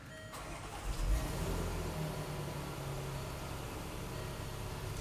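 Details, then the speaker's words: 2014 Range Rover Supercharged 3.0 with intermittent crank/no-start, suspected restraints control module; module communicating, so start expected: brief starter crank catches within a second, then settles into a steady low idle with no stumble; normal crank and start. "i believe this thing will is going to start right now and idle there it is right there"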